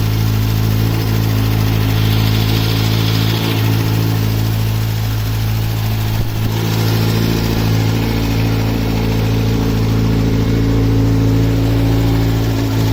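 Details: Kawasaki Z900 motorcycle with 5000 km, cold idle: a light, quick ticking about three times a second over a steady hum; occurs only on cold start and fades once warm. Owner suspects cam chain tensioner or valves; dealer calls it normal.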